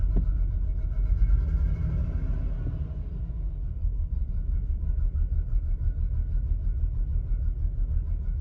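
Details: Ford Falcon BF on dedicated LPG, started after an occasional hard start (about 1 in 10 starts): low, uneven rumble with an irregular, lumpy beat, running rough until driven; cause unknown.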